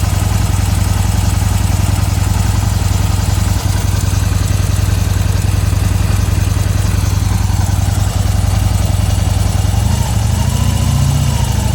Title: Harley-Davidson 2015 ticking sound ??